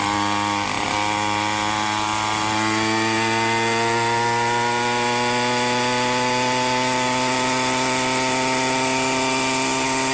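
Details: Minarelli two-stroke on a motorized bicycle with a 110 main jet, rehoned and not yet broken in: steady high buzz that climbs and holds, slightly soft and blubbery up high; jetting still slightly rich, though the owner calls it basically tuned.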